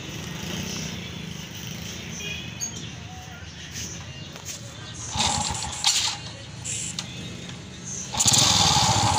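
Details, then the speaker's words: Honda XRM125 motorcycle engine idling very loud and rough with harsh metallic clatter before overhaul; teardown blamed a damaged connecting rod and worn clutch shoes. "Ayan nap Patayin na natin So anan mga kaas Kung naririnig niyo sobrang ingay ng kanyang makina"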